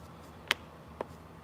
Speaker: see how that turn on and turn off that's how you know your abs is working correctly